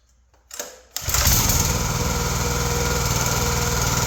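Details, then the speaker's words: Log splitter with Kohler engine after carb cleaning, new plugs, oil change and hydraulic oil top-up: two pulls, then it catches at once and settles into a steady, even fast idle with no misses; runs healthy. "there you go sounds good and that's how you do it"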